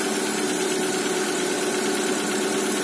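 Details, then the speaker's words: Lada Granta with the 127 engine, which knocks from the cylinders when cold (owner suspects pistons loose when cold), now warmed. Even, steady idle with no tapping or knocking left, just a smooth hum; normal once warm. "уже работает, как малышка ротиком."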